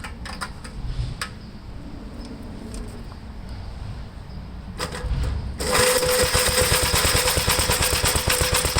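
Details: 1973 Gravely C8 single-cylinder after magneto removal and points cleaned and gapped: a few clicks, then it catches and settles into a steady even thump about three beats a second, oil pressure up; normal running.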